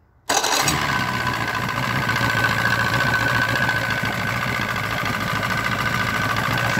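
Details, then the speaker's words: Force 120 (Mercury) 1999 two-stroke outboard off a Bayliner, carburettors empty after sitting, primed hard into the carb for first start: fires instantly and settles into a steady, even run with no misfires or stumbling, a clean healthy start. "но как всегда там надо накачивать прям сильно сильно в карбюратор и первый запуск а потом он запускается просто шикардос"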